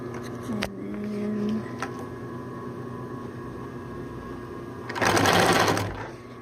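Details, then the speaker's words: 1951 Singer 111W155 industrial walking-foot sewing machine with a newer motor, sewing: fast, even mechanical chatter from the stitching mechanism over a steady motor hum; a little noisy but an older machine, and it sounds healthy. "a little noisy but it's an older"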